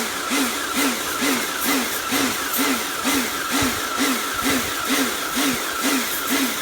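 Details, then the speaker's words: Kärcher pressure washer rebuilt from a B202 and K2 14 after frost damage and motor failure: regular surging whine rising and falling about twice a second while spraying; cleans fine, but the pulsing source is unknown. "i'm not entirely sure what uh that pulsing noise is from"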